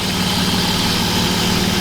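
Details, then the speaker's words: BMW E36 M3 after replacing the full belt and tensioner drive system to cure an inconsistent squeal: smooth, even idle with a steady hum and no chirp or squeal; mechanically sound engine. "very happy this is a very very sound engine sounds very good mechanically i'm very stoked"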